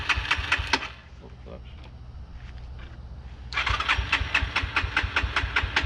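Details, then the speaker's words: Yamaha TT-R125 after about 10 years sitting, cold engine, choke question: single fires with quick popping, dies to near silence after a second, then catches again; won't hold idle until warmed up, smoking heavily. "Warm it up and see if it'll hold an idle. Is the choke cold? It's not gonna hold an idle."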